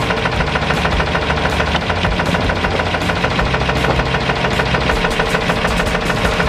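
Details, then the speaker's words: Old truck after hauling a load, with a knock that began on the way back: loud, sharp, rapid knocking from the engine, steady at about three knocks a second; heavy internal engine knock, cause unknown, engine possibly on its last legs. "on the way back and nasty knock started happening in the engine of this truck granted this truck is an old truck it's put in definitely put it in its time but as you can hear this thing is it may be on its last legs"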